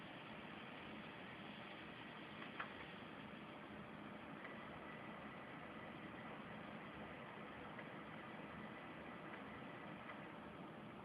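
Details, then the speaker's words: Desktop PC with a 7900 GS graphics card and 3 GB memory that boots randomly: steady fan hiss, then one short high POST beep as it finally boots; power supply swap planned. "now it's booting and there you heard the beat code"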